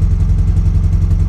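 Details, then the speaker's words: Car started for the first time after three months of engine rebuild with a new cylinder head, precisely set split cam gear and Niva camshaft. Rapid low puffing pulses keep time with idle, a chuffing exhaust-side tick; owner suspects the exhaust manifold gasket. "это не нормальный кэш как-то на сечет что ли эта туша прокладка коллектора там нет"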